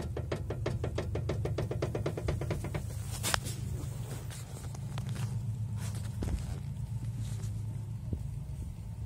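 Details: Ford Focus 3 driving: quick run of sharp knocks at about four per second over low road hum, fading after three seconds; steering rack knock.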